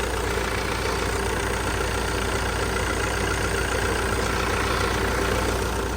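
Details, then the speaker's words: Gehl telehandler diesel after a new low-pressure fuel pump and rebuilt starter, running after a brief air purge on first start: steady, even idle with a smooth low rumble and no knocks, misses or hunting; running cleanly. "but now it sounds like it's running pretty good"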